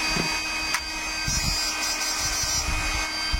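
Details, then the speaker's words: Electric fish shocker (strum) assembled for a Kalimantan order, run on a minimum 10 A battery (max 50 A), power knob at 9 o'clock. Steady high inverter whine with a faint low tone outdoors, smooth and strong: normal operation under load. "Ini tenaganya udah besar loh."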